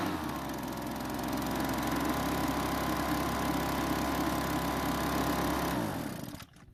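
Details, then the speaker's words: Kawasaki-branded leaf blower at spring start-up: steady, even buzz for six seconds, then cuts off and winds down cleanly; works normally. "fortunately the leafblower worked just like they're supposed to"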